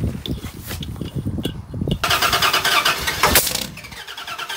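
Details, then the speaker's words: Old Dodge Dakota, no fuel pressure, starting fluid tried: starter churns the engine unevenly with no firing; cranks but won't start, fuel pump dead. "man geez fuel pump's dead"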